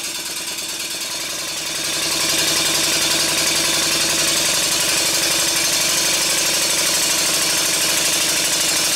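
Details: Stuart 5A model steam engine on a high-speed run: rapid, even chuffing at a steady fast beat, around three or four exhausts a second, smooth and regular.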